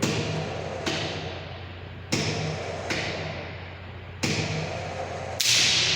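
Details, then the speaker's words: High-voltage lab sphere-to-sphere gap at 30 mm, voltage raised via variable autotransformer: sharp cracking snaps about a second apart over transformer hum as gap flashes over; breakdown 35.42. "35.42 is the breakdown voltage at 30 mm distance."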